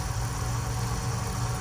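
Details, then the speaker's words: BMW S63TU/S63R (M5/M6/X5M) with a new electric auxiliary water pump running the bleed procedure, belt off; a low, even hum with no rattle or surging. The old pump was loud from worn bearings; the new one runs quietly. "As you can see, you can hear the pump running, but there are no"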